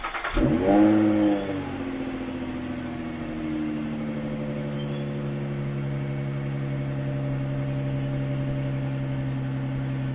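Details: 2005 Infiniti FX35 with resonator removed, temporary clamped pipe: engine cranks, catches and flares, then settles to a steady, deep, even idle with a louder exhaust drone.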